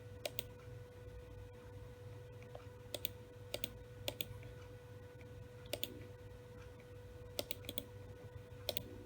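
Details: WD Caviar Blue hard drive that sat a year in a school classroom gives sharp dry clicks, often in pairs, over a steady hum and whine when plugged in: the click of death.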